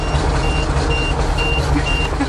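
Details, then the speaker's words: Air-brake dump truck (called a 427) just started after sitting unused, engine idling with a thin continuous high buzz over the rumble: the low-air warning light and buzzer stay on until air pressure builds, which takes a couple minutes. "uh light's still on we got to wait a little bit longer says low"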